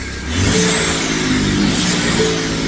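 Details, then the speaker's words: 2017 Ford F-150 EcoBoost start-up after an exhaust manifold leak repair with snapped bolts and turbos removed and reinstalled: smooth, quiet idle with no ticking or puffing. "pretty quiet actually. Very quiet."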